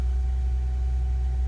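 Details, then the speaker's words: Mercedes-Benz C240 after fuel pump replacement, which fixed a crank no start: low, steady idle rumble with a faint constant hum, no misses or ticking. RPM good; normal idle. "RPMs are good."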